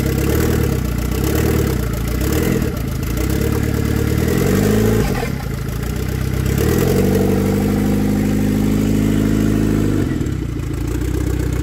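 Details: 1993 Saab 9000 CD, sat about a year, first start with a new battery and the exhaust removed: very loud open bark rising and falling with a few throttle blips.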